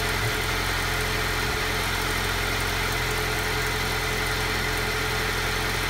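Cold idle sounds uneven and lumpy, with an irregular pulse about four per second under steady hiss; rough running, cause unknown.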